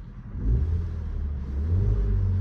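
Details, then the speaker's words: Ford EcoSport after a cylinder 2 misfire was fixed by fitting a used spark plug: engine picks up smoothly through a short rev with no stumble or cutting out; all cylinders firing cleanly, check engine light cleared. "Ta's pag nibu mo siya maganda na yung galit hindi na yung parang may putol na wala na"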